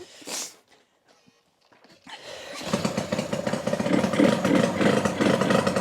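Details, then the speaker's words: 1985 Yamaha RZ350 two-stroke twin, kick-started on premix for the first run in about 10 years, fuel tank not yet connected: a ragged, uneven crackle of about three pops a second. It sounds like it is running on one cylinder; the other is possibly flooded, unconfirmed. Uneven running. "Kind of sounds like it's running on one cylinder though, don't it? Sounds like it's running on one cylinder, man."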